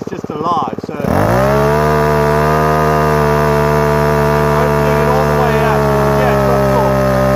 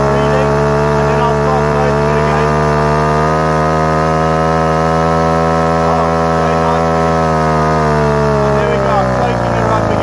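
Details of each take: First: Repaired Ryobi two-stroke strimmer started on choke after priming, carburettor screw turned a quarter turn; settles into a fast idle with a slightly uneven, burbling beat; rough idle after carburettor adjustment, owner thinks mixture needs fine tuning. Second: Ryobi string trimmer two-stroke after repair, air/fuel mixture screw adjusted about a quarter turn, idle left as is: even, buzzy note holding steady revs, easing down near the end without misfires or bogging; runs cleanly.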